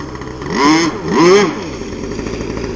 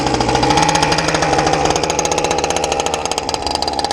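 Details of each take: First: RC gas boat engine, high-speed needle tuning on the water: revs rise on each pass then droop before recovering, a lean high-speed sag; needle turned counterclockwise about 3–4 degrees to richen it. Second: RC gas boat skiff, clutch-equipped two-stroke with water pump, after turning the low-speed needle slightly counterclockwise. Crisp buzzing engine drops and holds a steady, even idle without sputtering; normal idle, hull running a little dry.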